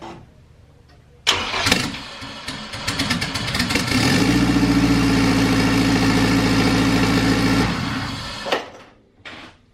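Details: Turbo K20-swapped EG hatch, after recharging a flat battery to 13.1 V: a couple of seconds of strong cranking, then it catches and settles into a steady, even idle before shutting off; starts healthy.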